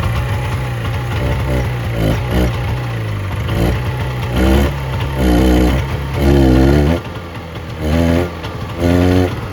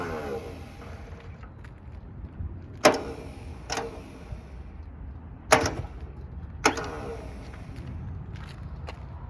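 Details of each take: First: 1970 Subaru Sambar pickup off the road for 40 years, after loosening the distributor for more ignition advance: the engine idles a bit lumpy, then picks up cleanly in short blips and settles back; runs on its own and sounds healthy. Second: 1970 Subaru Sambar pickup, off the road 40 years, ignition hot-wired to crank: crusty starter whirs in short bursts with sharp clacks, engaging then dropping out intermittently; both cylinders show compression.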